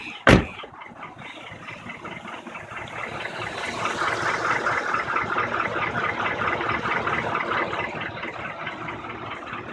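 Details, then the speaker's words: 2003 GMC Envoy 5.3 V8, 238,000 km (about 148,000 miles), warm hot idle heard outside: dull rapid knocking the owner calls piston slap, present for years with no adverse effects, still runs great; suspected piston slap. "it's got a piston slap now we're inside right now and it's very quiet you can't hear it but if you go outside and it's been running warm and it's hot this is what you're gonna hear"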